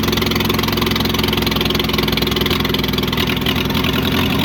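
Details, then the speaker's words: Long-forgotten International Harvester McCormick 64 pull-type combine engine, revived after a clean carburettor check, idles with steady even chuffing, about three and a half beats a second, no misses or knocks, and shows oil pressure; runs healthy. "Oh, it sounds good. It's got oil pressure too. Oh, it sounds good."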